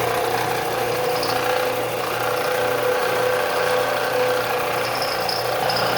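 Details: Harbor Freight belt/disc sander, 13 years old, after repair tightening loose pulley set screws that slipped on the shaft: motor hums steadily with even tone, no knocking, slipping or rattle.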